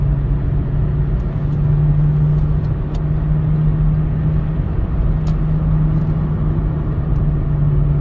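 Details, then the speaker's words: 2009 Chevy Cobalt on the freeway at about 45 to 60 mph, a constant low moaning hum under road noise from a worn front wheel bearing, to be replaced; no steering wheel vibration at these speeds, and the bearing is not its cause. "like I said I can hear the wheel bearing so I am going to replace that but definitely not causing the vibration of the steering wheel"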